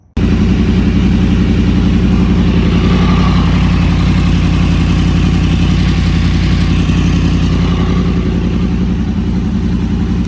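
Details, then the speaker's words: Yamaha MT10 with Two Brothers exhaust after an ECU flash tune, idling warm until the cooling fan came on at 205: loud, steady, even idle with a firm low pulse around four per second and fan hiss; running healthy, flash successful. "So the map did work, everything sounds good, it's running well."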